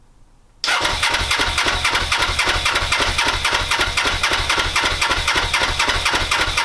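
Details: Suzuki GS500, first start attempt in five years, coldest of cold starts, ignition on, choke on, fuel primed: starter spins at a steady chug of about four beats a second but it never fires.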